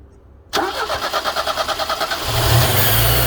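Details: Mercedes 102 engine, hot: starter cranks about three times a second for nearly two seconds before the engine catches and settles into a fast idle; hard starting when hot.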